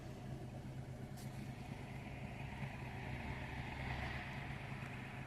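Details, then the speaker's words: Daewoo/Chevrolet Matiz 800cc with Kemsco D42 ECU, formerly crank-no-start from immobilizer fault, after ECU unlock with immobilizer disabled: starts and idles quietly and smoothly with even low hum, no misses or knocks; normal idle. "Και πάμε να βάλουμε μπρος. Και το αυτοκίνητο πήρε μπρος με καταργημer. Άψογα."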